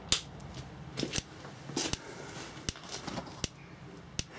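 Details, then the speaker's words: Dometic/Electrolux RM212 3-way camper fridge being serviced for hard gas lighting, regulator just turned on: six sharp, even ticks about every three-quarters second as the igniter sparks normally to light the gas. "So as soon as we turn this on, I'm hoping, with a few ticks, you should get an ignition."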